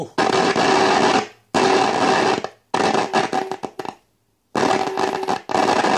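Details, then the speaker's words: De Wald model 310 five-valve AM/SW tube radio with 470 kHz injected at the antenna: harsh hiss in bursts with dead gaps and no clear station. A short in a capacitor prevents reception, and a loose contact makes volume jump. "se quiere oír de fondo pero el cortocircuito que hay en condensador y seguro que es el condensador no nos permite oír la radio"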